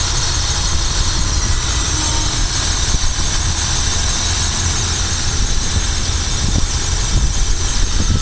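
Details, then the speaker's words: Green Fuel H2O Gfx1 19-plate HHO generator on a car in cold weather, warmed up, drawing about 19 amps, with pulse plugs and voltage stabilizer fitted; steady even idle with faint accessory whine, no knocks or misses, running smooth, normal idle. "running smooth. Sounds good."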